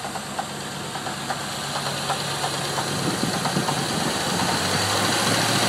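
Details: Land Rover Discovery 3.9 V8 at idle after a hydrolocked cylinder, top end removed and injectors and fuel pressure regulator refreshed: steady clunky knock about three beats a second, cause unknown.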